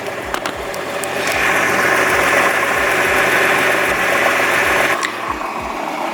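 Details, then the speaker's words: Warm idle on a Nissan R35 GT-R: faint, uneven grinding rattle from the bell housing in the center, about three to four soft knocks a second, more audible once warm; a normal quirk of the design. "actually as the car has warmed up you can hear the bell housing a little bit better definitely sounds pretty weird"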